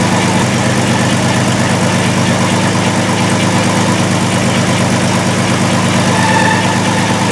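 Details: 2002 VW Jetta VR6 with severe misfire, stalling and P0262/P0206 injector circuit faults after plugs and wires were replaced. Stumbling idle with irregular exhaust beat; scope and amp clamp show a shorted injector.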